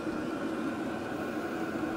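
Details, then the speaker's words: WIPPRO 8 kW diesel heater after about 14 minutes running, turned up to its maximum 5.4 Hz pump setting: steady even rushing roar from the blower with no surging, ticking or rattles; running normally on high. "we're just going to turn this all the way up it's in hertz and so we'll go all the way up and you'll hear this really ramp up let's just all right we're 5.4 Hertz and you can hear it kicking in"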